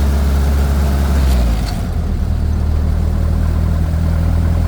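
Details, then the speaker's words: 1928 Ford Model A race car, 4-port overhead valve head conversion, 1939 3-speed transmission, second gear about 25-30 mph, still ice cold: uneven rumble smooths into steady even beat with choke pushed in; normal running. "Oh yeah, the choke swell a little bit, but still ice cold. But I'm not trying to act the fool with it. But yeah, with the choke in, it's smoothing out real nice."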